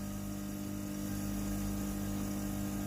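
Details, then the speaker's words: A steady low buzzing hum as the water pump in a Philips GC9622 steam iron pushes water from the tank into the hot boiler after boiler replacement, steam coming out: normal pump operation. "Încălzitorul cazanului este normal acum, iar pompa de apă este normală și poate pompa apa din rezervorul de apă în cazan."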